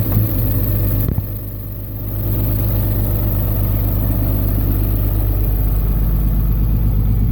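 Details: 2004 5.9L diesel truck at idle after a long trip, smoking black: steady idle with a sharp, regular knock every cycle; kill test isolates bad injector on cylinder #5; injector knock.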